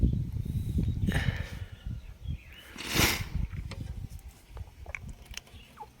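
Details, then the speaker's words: Ford XR3i project engine turned slowly by hand after oil was squirted down an exposed cylinder; it turns very hard. Irregular gritty crunches and clicks near the crank pulley. A rock or debris fallen inside is suspected. "There's a lot of grunchy stuff down there at the crank pulley. I think that's what's causing a thing."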